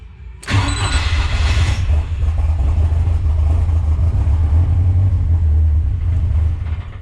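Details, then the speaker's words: Rat10 project engine on a cold start after cold idle target was raised to about 1,300–1,400 rpm (previously chugged at 1,000 rpm, ran rich and stalled): starter catches, then a deep drone that wanders and won't hold a steady idle. "Doesn't really know what it wants to idle at."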